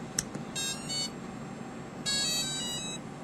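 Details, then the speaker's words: Align ESC with a helicopter motor (main gear and pinion removed) on Futaba throttle channel three, powered up at low stick: two bursts of high musical beeps, the programming-mode tune, so the throttle channel is reversed. "that sound right there is that is the programming sound so that means our throttle channel is reversed when you get that and then it doesn't go through telling you what it's programmed at"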